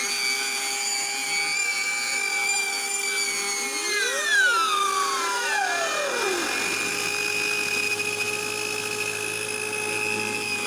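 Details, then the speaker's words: Old electric grass trimmer running with a loud, constant high-pitched howl and warbling pitch; the motor and brushes are fine, and the whine is from the gear head, caused by a cracked, loose bearing seat. "เพราะว่าแกตัดแล้วเสียงมันดังวิ๊ดวิ่วเสียงหอนมันดังตลอดนะฮะ"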